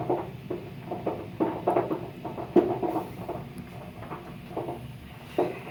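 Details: Water heater heating: irregular sharp pops and light knocks about every half second from sediment in the tank; fix would be flushing the tank.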